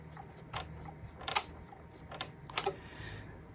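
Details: Casio electric keyboard, key section after lubrication fix for creaking: a handful of short clean plastic clicks, unevenly spaced, no creak; normal key action.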